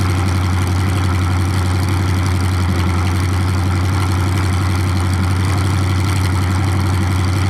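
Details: 427 big-block Chevy V8 on an engine run stand, first fire after sitting a long time; distributor timing just loosened and adjusted, possibly the wrong way. Deep, loud, even lope on open pipes, no knocks or misses; normal healthy idle, staying cool.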